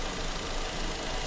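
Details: 2014 Fiat Palio Fire 1.0 with low mileage, warm engine at idle, after a cross-threaded cylinder-1 spark plug leaking compression was fixed: an even, steady hum with the earlier scraping-like noise gone. The engine now runs normally.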